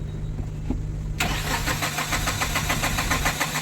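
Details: Tata Ace Gold BS6 diesel: steady fast starter churn, three or four turns a second, never catching; cranks but won't start after fuel sensor water fault code was cleared, low fuel pump pressure, diesel not getting through.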